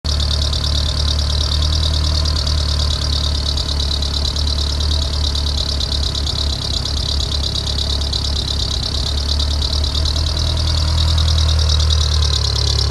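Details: Mitsubishi 2G DSM just after startup: steady high-pitched squeal over rough idle, not changing with speed; owner suspects squeal from timing belt, not confirmed.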